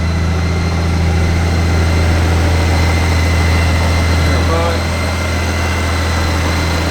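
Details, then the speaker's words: 2013 Honda Goldwing flat-six, 20,047 miles, smooth, even low idle with a steady beat, no knocks or ticks; sounds very nice, believed well maintained, normal idle. "Fires right up. Sounds very nice."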